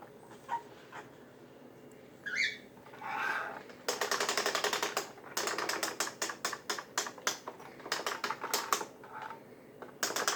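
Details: Kirby G6/Ultimate G Diamond Edition vacuum tech drive: rapid bursts of sharp ratchet-like clicking as transmission rear axle gears stay partly engaged instead of fully disengaged.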